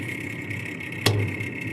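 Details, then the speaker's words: GE top-mount refrigerator with a noise complaint: constant high-pitched whirring over the fridge hum, with one sharp click; failing evaporator fan motor, to be replaced. "noise refrigerator complaint look like we got a evaporator F going bad pretty simple to change"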